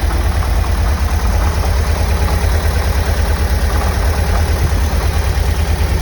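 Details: 1990 VW Vanagon engine at cold start and idle: deep rough rumble with a loud heavy knocking beat that lessens after about 10 minutes of running.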